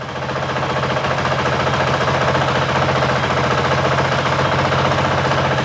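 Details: 2023 Honda CRF450X after San Diego Powerhouse thermostat delete kit and emissions delete, after 5-minute idle test: even, steady single-cylinder idle with unchanging beat, no knocks or misses, sounds about the same as before; normal idle.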